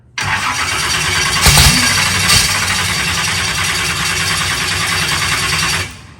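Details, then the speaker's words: Engine just fitted with a new Peterson dry sump oil system: starter cranks about five and a half seconds with an uneven beat, never firing; owner suspects the ignition isn't set up right. "usually lights by now. So it makes me think maybe I don't have something right on the ignition."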